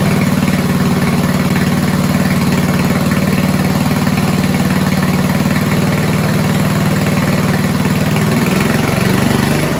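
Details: 1970s Roper 1032 snowblower, probably 10 hp Tecumseh single-cylinder, first run on repaired carb with JB-welded bowl: steady low thump at idle, speed sagging and swelling toward end; carb-related hunting.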